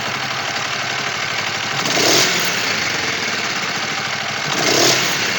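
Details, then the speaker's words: Warm Kawasaki Vulcan EN 500: two throttle blips with the revs sagging back slowly instead of snapping to idle; owner suspects an air leak or unsynchronized carburetors. "il fait chaud ok, il faut un peu de temps pour se lever, ça a pris un peu de temps"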